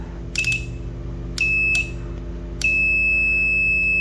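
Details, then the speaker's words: 12V 15A T-type relay (for stabilizer) bench test: with 12V from a battery on the coil and multimeter on the contacts, three clean high continuity beeps (short, longer, held) sound each time it is powered, showing the relay contacts closing. "सही है। यह beep आ गई।"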